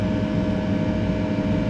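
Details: Walk-in cooler remote condensing unit, brought back after a 55° high-temp alarm: steady, even compressor hum with constant mid-pitched fan tone, no knocks, rattles or cycling; running healthy.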